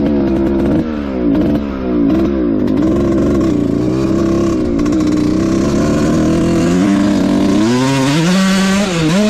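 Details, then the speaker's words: 2003 Suzuki RM125 two-stroke dirt bike after its bog was fixed and a 165 jet was fitted. Revs climb and drop crisply with the throttle, with no bog or stumble, and the plug is turning chocolate brown; it runs normally. "all right absolutely zero issues with the 165 in there so we're going to leave that"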